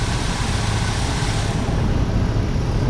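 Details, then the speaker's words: 1988 Dodge B250 Ram Roadtrek van, 318 TBI, after replacing both throttle-body fuel injectors and temperature sensor to cure rough running and stalling: even deep drone, steady low rumble, no misses, on test drive; normal running, owner suspects temperature sensor was the cause. "sounds pretty good in the yard take it for a test drive but uh so far so good quite an easy job take it for a ride working really well wearing smooth well worth doing"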